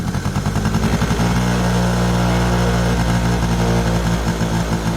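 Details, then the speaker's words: Yamaha Razz two-stroke scooter, first start after sitting 11 years, started on second kick: uneven crackling and burbling, revs hunting; carb bowl overfilling so fuel shut off, carburetor issue suspected. "11 years just started up on the second kick I just had to turn the fuel back off I think we just have a carburetor issue"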